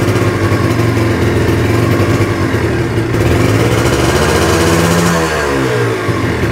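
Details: Kawasaki Ninja two-stroke after compression/carbon work, stock exhaust, weak battery: crisp even running, pitch climbs cleanly with throttle and drops back, no rattle or misfire. Normal revving.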